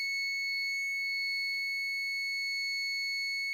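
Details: New APC Back-UPS Pro 1500VA BX1500M: after switching on and cycling through self-tests, a continuous high-pitched steady internal fault alarm; support said only replacing the whole unit fixes it; battery connector found installed crooked.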